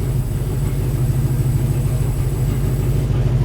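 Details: 1953 Studebaker hot rod run after more than 60 years unused: deep, even idle rumble with a steady beat and no knocks or misses; smooth, healthy idle.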